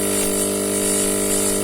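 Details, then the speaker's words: Air compressor with low pressure: steady motor hum with a strong even tone and hiss but no pressure build-up. Seal leak at the top/front of the piston, so there is no compression. "Nanik rasanya terdengar bahwa ada kebocoran ternyata jadi untuk kerusakannya sudah jelas di sini ada kebocoran panggung pada bagian depan pistonnya ini untuk daya kompresinya nih makanya tidak ada"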